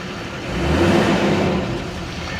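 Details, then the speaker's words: Salvage four-wheel-drive turbo pickup with stock exhaust and front-end damage at a Copart yard, just started with no check lights: clean rev rise with smooth turbo spool whir; healthy revving. "yeah it's got a regular exhaust on it too you can hear that turbo spool up though so sounds good"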